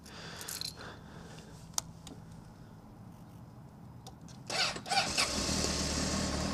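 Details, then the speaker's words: 2003 Honda CBR600RR: starter cranks, engine choke-starts with rough stumble before settling; valve adjustment didn't fix it, owner suspects battery. "Yeah, it kind of choked to a start a little bit. That I think is the battery."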